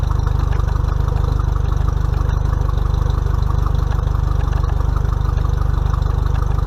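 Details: Mercury 50 hp four-stroke outboard on a 2020 Bass Tracker, first break-in service, run under a minute to circulate oil before checking level: low even idle thump about 214 per minute, smooth steady rhythm, no knocks or misses; healthy.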